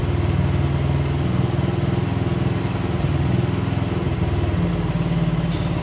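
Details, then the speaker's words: 1975 Honda CB125S, barn-stored, first start in 15 years: small single thumping with an uneven, lumpy beat that wanders in speed; it runs but timing and other settings still need adjusting. "there you go i still gotta adjust the timing and other stuff to get it all right so anyway you see it's a runner"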